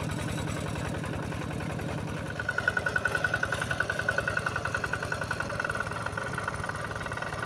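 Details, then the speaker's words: Yanmar TF85 single-cylinder tractor diesel after repair: steady idle at about 214 beats a minute, with a light metallic rattle from loose, worn tractor body panels. The engine itself runs smoothly, normal idle. "Oke, Sobat Diesel, sekarang mesinnya sudah bisa kembali bekerja, Ya,"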